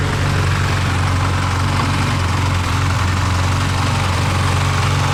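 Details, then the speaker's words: Carbureted 2T-G Celica with new radiator and oil-cooler cooling system, warm at about 80 °C thermostat temperature after 5 minutes idling: steady, slightly high idle because carburettors are untuned and unsynchronized, to be tuned later. "The idle is a bit high, as you can hear, but it's not really a problem. That is something that we're gonna dive into in one of the upcoming episodes, is getting the carbs tuned all the way to make it idle perfectly, a bit lower on the revs than it is now, and also to synchronize the carbs, because these are not synced"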